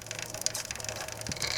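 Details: Norton 650 Unified Twin prototype, almost new chain, rear wheel turned by hand; light scraping and faint intermittent brushing as chain rivet heads catch on the crankcase tunnel.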